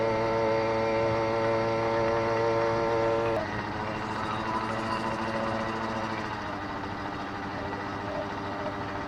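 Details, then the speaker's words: Brand-new 80cc two-stroke motorized bicycle on test ride: uneven burbling, skipping beats at steady throttle then dropping off; four-stroking, deliberately rich for break-in. "definitely four stroking so it's a little fat but you know brand new motor I don't want to I don't want to run it lean"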